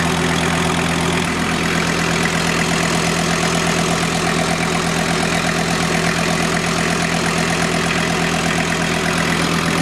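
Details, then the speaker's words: VW T4 Syncro van after major engine overhaul, first run to operating temperature after clutch and power steering bleeding; steady even idle, smooth hum, no knocks or misses, no leaks: normal idle. "I think anything running normal. Gas pedal feels good. No leaks appear."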